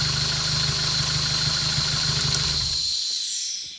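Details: Honda K24A engine swapped into a VW Vanagon, first start on a Haltech Elite 1500 ECU with fuel cell: freshly fired engine settles into an even, steady idle for under three seconds; runs cleanly.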